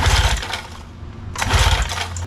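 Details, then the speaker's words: Used outboard boat motor after new marine spark plugs and new ignition coils: two bursts of rapid cranking chatter, never catches or runs; spark ruled out, carburetor blamed. "nothing all right at this point I'm very confident spark is not our issue now time for the biggest culprit the carburetor as far as uh not running correctly goes the carburetor is responsible probably 85 to 90% of the time"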